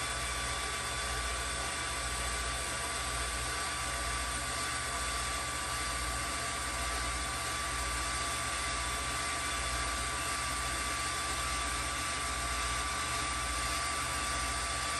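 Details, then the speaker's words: New replacement linear actuator lifting a 200+ lb latex boat bed, just wired and extending: even, quiet motor whine at constant pitch, no grinding or clicking, quieter and possibly slower than old unit; running smoothly. "I'm going to extend it now I don't know if you can hear through the um camera but this is certainly quieter than the other one"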